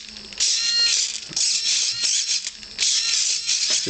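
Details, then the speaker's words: Blitz RC Works Rogue 500 RC helicopter after a crash: short bursts of high thin gear-whirring buzz with each command from the rear servo, sounding overdriven; strains and chatters, while the right servo doesn't move; cause suspected. "you can hear this funny little noise it's almost like they're being overdriven that's that rear servo this one back here"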